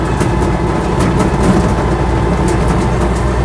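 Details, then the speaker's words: Land Rover Series III 88in softtop driving in overdrive: faint irregular metallic ticks over a steady low road-and-engine drone from the tailgate chains rattling, which could use a plastic coating. "rattle you can hear is the tailgate a little bit the um the chains on the tailgate could do with Coast Coating in uh plastic to stop them from uh rattling and banging about"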